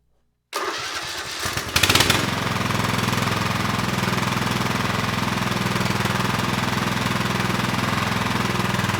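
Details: Craftsman LT1000 lawn tractor, Kohler Pro CV490S single-cylinder, started in neutral after a rock strike and carburetor check: brief crank, then a steady, even idle with no knocks or misses; engine appears viable.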